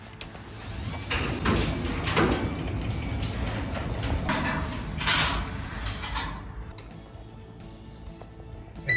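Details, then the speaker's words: Linear 861 garage door opener, newly installed, running the door down to set the down limit: motor drone with rolling door rumble for about six seconds, spring noisy on the non-insulated door; smooth, no grinding, normal. "The spring's noisy, but for how quiet the motor is, the spring in the door is noisy because it's non-insulated."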